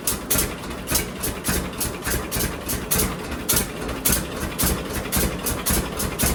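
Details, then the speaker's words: John Deere D two-cylinder tractor idling after both Autolite plugs were cleaned of black deposits and re-gapped wider, toward the 0.030 in factory spec: even, lopey beat of about two per second, no misses, no backfires. Normal idle. "Say what you will, but I think that's running a lot better. I don't hear it missing at all anymore."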